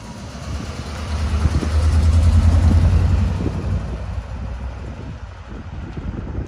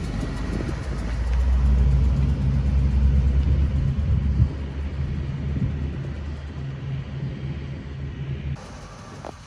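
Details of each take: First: 1978 Pontiac Trans Am, Z-code 400 V8, automatic, 69,600 original miles: deep rumble swells then settles to a steady, even idle with no knocks or misses; healthy, apart from a small exhaust manifold leak on one side. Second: 1978 Pontiac Trans Am, Z-code 400 V8, automatic, 69,600 original miles: lumpy idle with a fast puffing tick from a small exhaust leak at the manifold on one side; the other side is fine.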